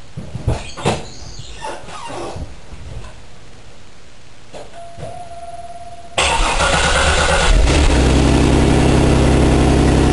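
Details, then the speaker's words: Buick Park Avenue after replacing the muffler with a used one: clatter, cranking, then settles into a low even idle with no exhaust blat or rasp; quiet, though smoky, owner wonders if from cold. "again yeah that ain't loud at all nice and quiet pretty smoggy though I wonder if it's just cuz it's cold or what"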